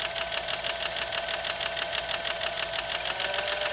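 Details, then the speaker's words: Sewing machine that likely had not run in a long time: a sharp, regular clicking about three times a second, like out-of-adjustment car lifters. It grows more pronounced as speed increases and needs work. "if you listen real carefully over here you hear that little clicking sound it almost sounds like on a car when the lifters are out of alignment a little bit"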